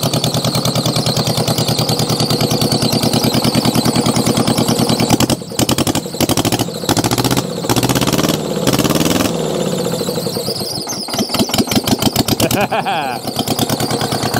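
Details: Old Mitsubishi diesel tractor rescued from scrap, first start: slow labored cranking catches into loose diesel clatter with a squeal over it from a seized alternator slipping the belt, likely also why it cranked slowly.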